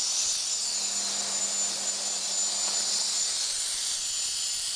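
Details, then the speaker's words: Air compressor being tested, pressure slowly building: constant sharp hiss of air escaping over faint motor hum from the broken regulator and tap housing, to be replaced with one from an old compressor. "Oh, this housing here with the regulator in it and the taps is broken. Oh well."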